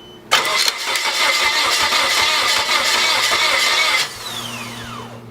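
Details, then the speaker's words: Junkyard Nissan 240SX unstarted for two and a half years, cranked with intake and MAF disconnected: fast, even four-second cranking whir that never fires, then the starter winds down; no-start likely from the unconnected intake. "alright so obviously didn't start it probably could be because the whole intake isn't plugged up math isn't plugged up but yeah I just want to hear it crank"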